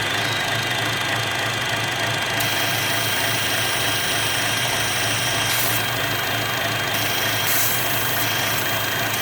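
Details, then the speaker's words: 2012 Chevy Cruze 1.4L at idle: a constant airy hiss over a smooth, steady idle. Confirmed vacuum leak from the open PCV valve integrated in the valve cover; the fix is a new valve cover. "So confirmed vacuum leak inside the valve cover, this integrated PCV valve."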